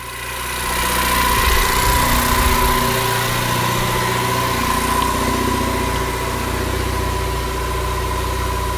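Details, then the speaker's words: Ford Ecoboost-swapped DeLorean after a remote ECU retune: a smooth, even idle around 900 rpm with a faint steady hum and no misses. Lambda is on target, coolant stays cool, oil and fuel pressure are good. Healthy idle. "Lambda's right where it needs to be. We're idling about 900. Coolant temp. This thing stays nice and cool too, which is nice. Got good oil pressure."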